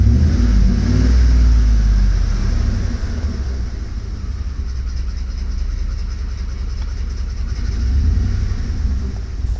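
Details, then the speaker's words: Ford F-150 with 5.4L 3V Triton V8, engine hot: loud rapid top-end ticking clatter over a deep rumble, steady with engine speed, only when warm; a timing chain that loosens as it expands with heat is suspected, not confirmed. "I do have to believe this is some kind of timing chain issue."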